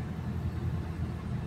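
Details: Mitsubishi Lancer Cedia automatic that stalled after starting with no check-engine light: low steady rumble after a rev, settling to an even idle near 900 rpm without hunting or stalling, with aircon cycled. Normal idle.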